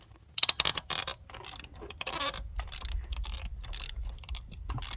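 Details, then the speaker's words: 2012 Hyundai Santa Fe 3.5L V6 aluminum head: ratchet clicks then gritty grinding as a seized spark plug, installed without anti-seize, is forced out of its threads. "And you can tell that because when you try to take these out, one, it's extremely hard to get out, and you can hear the grinding."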